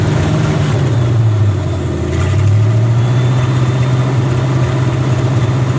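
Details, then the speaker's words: International Scout with new carburetor, ran fine five minutes earlier: low engine note surges and wavers unevenly through idle and light revs; rough running, owner suspects ignition. "you hear how awful it start now it was running great about maybe 5 minutes ago everything kind of kind of in sync"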